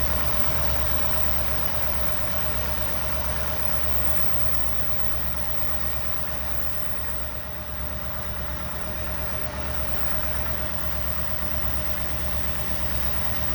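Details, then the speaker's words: 1964 Buick Riviera V8, revived after 23 years sitting, warm with the idle turned up, recorded at the tailpipe, charging at 13.2 V: a smooth, even burble with no knocks or misses. Normal warm idle. "that sounds sweet great all right sounds beautiful"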